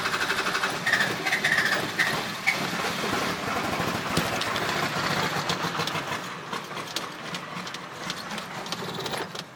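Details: Cummins 12V being restarted after running out of fuel: long, uneven starter churning with the engine chugging but not catching properly; hard start with long cranking.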